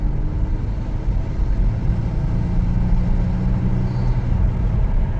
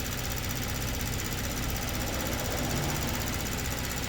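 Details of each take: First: 2022 Kia Stinger, 32,000 on the clock, low power/limp mode: flat-to-the-floor pull gives only a dull flat rumble and the car barely moves. Low fuel rail pressure is suspected, with the pressure set point not moving. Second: 2022 Kia Stinger, 32,000 on the clock, low power/limp mode: at idle, fast light even ticking shows the high-pressure pump working normally with rail pressure restored. It was in full shut-off mode before.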